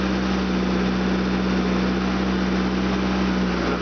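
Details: Fuel-injected 2.4 L CIH Opel GT petrol engine idles evenly with a steady low hum while contact cleaner is sprayed on hose connections; no speed dips or surges, so no vacuum leak at those spots.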